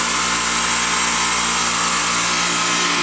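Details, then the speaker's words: Riedel PC 250 water-cooled 10-ton chiller, preheated near operating temperature, setpoint 10.2C: loud steady hum with constant buzz, no knocks or rattles, as first one then second compressor switch on; normal running. "And so one of our compressors has turned on. And the second one is turned on also, as you can hear."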